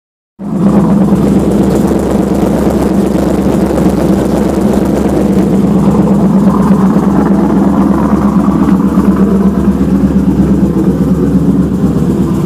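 Steady engine idle carries a fast, uneven tapping of roughly three per second over the low drone, an unusual noise from the engine.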